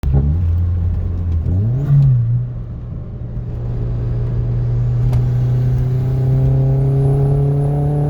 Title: b5 a4 1.8t ko4, custom tune, with some misfiring.